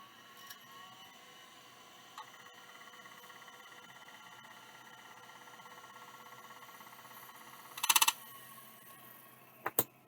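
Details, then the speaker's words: Mailbag hard drive suspected of a head crash and believed to use an embedded track zero, manually parked by hand before power-up: a thin spindle whine and faint ticks, then a harsh rattling seek burst. It cannot find track zero and shuts down; grooves were later found on the disk. "no it can't find its track zero so it just shuts down that's a shame"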